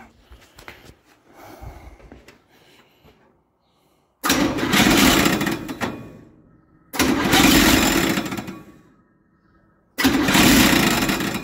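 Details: 283 V8 in a parts truck, cranking on a new starter held by one bolt: three bursts with a scraping edge, no start; owner suspects the starter is hitting the shroud, which is already broken.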